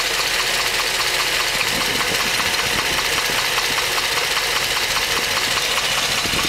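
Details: 2010 Hummer H3 Alpha, LH9 5.3L all-aluminum flex-fuel V8 at 2,500 miles, warm after about an hour of running: rapid, steady hollow diesel-like knock at idle, called piston slap by GM, worsening since 1,000 miles.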